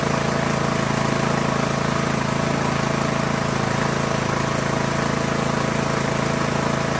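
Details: Poulan Pro PP175G42 riding mower that sat outside for years, key-started on battery cables, no milky oil: a steady, even single-cylinder idle with a smooth, regular pulse and no knocks or misses. It idles healthily, though the breather hose is disconnected.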